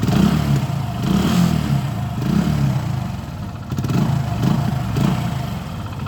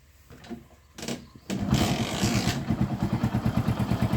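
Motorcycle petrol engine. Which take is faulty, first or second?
first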